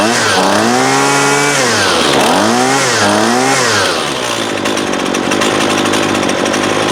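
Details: 2019 Husqvarna 128LD 28cc two-stroke trimmer, warmed up, after low-side carb adjustment (previously wouldn't idle even with choke open): revs up and drops back cleanly, brief split-second stumble before picking up; now running great.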